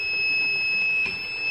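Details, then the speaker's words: Luminous Eco 1050 inverter: backup and charging both work, but the buzzer beeps continuously with a steady high-pitched tone while the unit runs. "लेकिन इस बाजार है हमेशा बजता रहता है। बाजार को देखिए। हमेशा बीप करता रहता है कर रहा है।"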